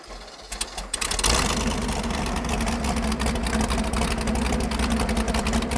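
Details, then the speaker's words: Ford Pinto wagon with stock long-block 454 and Comp Cams Extreme Energy cam: fast, busy idle with hard rattly edge that never settles; ignition timing far over-advanced, reportedly 40–60 degrees. "If you ever wanted to know what 60 degrees of timing advance sounds like, Is that what it's at? that's what that is."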